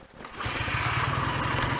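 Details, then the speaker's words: BSA A10 Super Rocket 650 twin, after cleaning the throttle-slide needle and raising it two grooves: hot start with no throttle, catching almost immediately and settling into an even, steady beat with no misfire; the magneto is judged good. "let's try a hot start preferably with no throttle"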